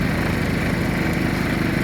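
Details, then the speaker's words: PowerSmart PS5025 2200W 4-stroke OHV inverter generator in eco mode, choke out a little; soft steady low hum with even fast putter, no surges or knocks; quiet, smooth normal idle. "But I mean, honestly, fellas, for it to run like this, choke out a little."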